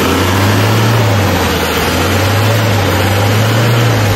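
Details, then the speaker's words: Isuzu 4HL1 turbo diesel with an intermittent no-start, after two sensors were installed: steady, even low drone, no stumbles or misfires, revved with no trouble code. It now restarts on one click; normal running after repair. "So ngayon is kahit anong revolution revolution mo so aandar na siya mga boss. So goods na goods na mga bossing."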